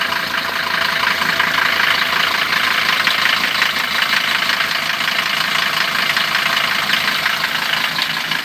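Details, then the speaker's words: Mercedes-Benz 410D diesel at idle just after an easy start, mild weather: idle buried under a harsh metallic rattle and rough chatter up top; worn belt tensioner bearing letting the tensioner jump, bearing to be replaced. "уже явно слышно, как шпрыгатит. Так, ну все, глушим машину и будем разбирать, заниматься ремонтом."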